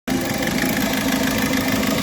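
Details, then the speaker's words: Volkswagen Vento engine at idle: rough, uneven stumbling beat with whole engine vibrating, heavy misfire; diagnostics show injector circuit fault on two cylinders. "तो दोस्तों Volkswagen one तो हुआ ठीक है जी और mister fire कर रही है बहुत ज्यादा मिसिंग कर रही है"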